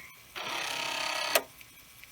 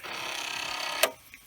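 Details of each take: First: Commodore 1541 disk drive in an endless test loop stepping heads from track 1 to 35: two buzzy one-second bursts separated by quiet gaps as it reads and writes; the drive has stopped failing after repeated runs. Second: Commodore 1541 disk drive under a looping head-movement test: fast rattling buzz of about twenty-five clicks a second ending in a sharp knock as the head bangs its stop when the directory can't be read; drive may need adjustment.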